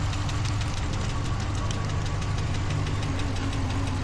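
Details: 2014 Ram 1500 V8 at idle with scan-tool codes for a cylinder 3 misfire and random multiple misfire, still misfiring after a prior shop fitted eight new injectors: deep, uneven rumble with an irregular stumble.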